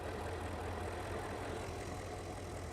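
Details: 2009 Porsche Panamera 4S, 4.8 petrol, 294 kW, at idle: an uneven, lumpy beat with irregular stumbles. Misfire, with cylinder 3 suspected; cylinder 1's spark is seen stuttering. Leaks still to be checked, cause unconfirmed.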